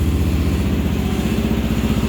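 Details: 2022-2023 Kawasaki KLR650 single-cylinder started in 30s°F weather after sitting a couple weeks; steady even idle with firm low beat, no misses; sounds healthy despite known cold-weather no-start issue.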